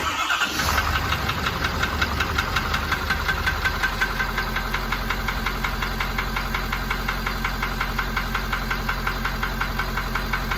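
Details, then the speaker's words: 2019 Ford F-350 with 6.7 Powerstroke diesel at idle; sharp, regular knock of about 167 per minute, loudest toward the rear of the engine, unaffected by cutting injectors, oil analysis clean; suspected cracked flywheel, unconfirmed. "so we've got a 2019 f-350 with a 6.7 power stroke diesel it came in with a knock it's been two other places and they wanted to put a motor in it so i'll let you hear the knock"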